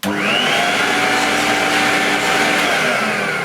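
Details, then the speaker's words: Used vintage Electrolux 560 upright vacuum, thought to be late 1970s–early 80s, running with the empty used bag removed: the motor spins up to a steady, high, unlaboured whine; suction at the base is present, improves with the bag removed, and needs servicing. "there definitely suction but it certainly will benefit from a bit of a service"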